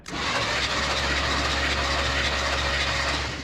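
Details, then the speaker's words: 1973 big-block Chevrolet C10 that sat for a year or more in a junkyard, cranked after lubing the cylinders to free the rings, before a compression test: steady, even starter churning with a firm low drone and no knocks or scraping; normal healthy cranking. "Oh yeah, she's sounding good."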